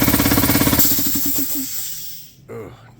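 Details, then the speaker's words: Air compressor on a cool day makes fast, loud, rough knocking at about three a second, then slows and dies away; it sounds worse than before and has not gained five PSI of pressure in five minutes. "this does not sound like it did it just made really bad noises"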